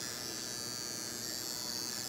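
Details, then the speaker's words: Redcat Tornado S30 buggy with a new EXI D227F steering servo replacing the stock one: constant high-pitched electric buzz while holding position. Pretty darn noisy but working normally, faster and stronger than stock. "It's pretty darn noisy. Oh well."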